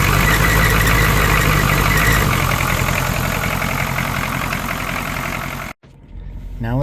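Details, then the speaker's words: 1980 Cadillac Eldorado Biarritz, factory 350 (5.7L) V8 diesel, warmed up, batteries a little low after sitting: even, rapid diesel clatter at a steady idle with no misses or knocks; sounds healthy. "Let's start it up and listen to the fabulous clatter of these old 80s diesels."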